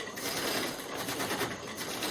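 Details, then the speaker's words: Bow drill fire-making on Atlantic white cedar; rapid dry wood-on-wood rasping with stutters each stroke, spindle slipping because cord has too few wraps. "hear that stutter it means i don't have enough wraps"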